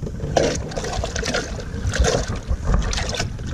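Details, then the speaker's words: Native Titan pedal-drive kayak starting from a standstill: irregular watery slurps and gurgles as the prop sucks air and cavitates, fading after four or five pedal strokes; drive needs to sit deeper in the water. "slurping sound that's it sucking air once you get going you've got four or five pedals through you it's not bad at all you don't hear it"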